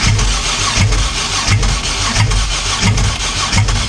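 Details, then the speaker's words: 3800 supercharged V6 just swapped into a 1988 Pontiac Fiero-based F355 replica, first start: lumpy uneven idle with a heavy thump about every 0.7 seconds, misfire-like; crossed spark plug wire suspected, not confirmed; oil pressure present. "sounds like one of the got one of the spark plug wires across"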